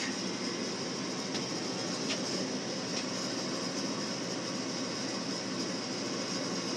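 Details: Frigidaire gas forced hot air furnace, no-ignition call, just after a new replacement part was wired in and the call for heat jumped: steady, even rushing burner roar, faint ticks, no surging or popping; normal burner operation.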